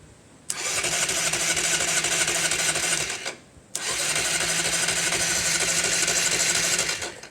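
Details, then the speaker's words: Honda CB250 cafe racer on a 112 main jet, unstarted for a couple of weeks, battery condition unknown: two roughly three-second cranking bursts of churning whir that never catch; it sounds like no fuel, but it actually just needed choke. "Sounds crap. Sounds like there's no fuel in there."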